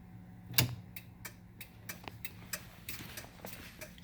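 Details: EZGO TXT golf cart turn signal after jumpering the black wire from the yellow turn-signal wire to the green: steady, even ticking about three per second in a quiet space; flasher now working normally.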